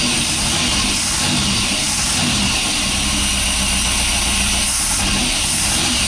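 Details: Mopar 440 big block V8 running after 23 years without starting: settles into a steady, even idle with a low rumble and no knocks or misses under a hissy background; normal idle.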